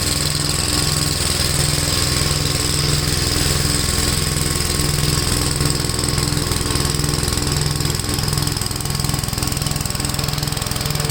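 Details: Gravely tractor running brush hog mulcher deck via PTO after clutch adjustment: steady low engine drone, even mower beat, no shaking or knocking; owner unsure tractor has enough power, blade taking power. Normal running under load.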